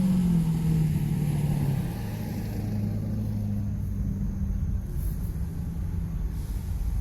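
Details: 2001 Ford F-150, runs, sold as a mechanic's special with a misfire; low, rough idle with an uneven stumble in the rhythm: engine misfire, cause unknown.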